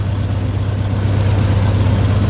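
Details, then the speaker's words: 1962 Dodge M37 truck sitting 40 years, running on a temporary fuel feed with the accelerator pump probably not working: after the idle is turned down, a low, steady, even rumble with no knocks or misses; normal idle. "Not bad at all. See if we can idle it down just a little bit more. [Music] There we go. That sounds a little bit better."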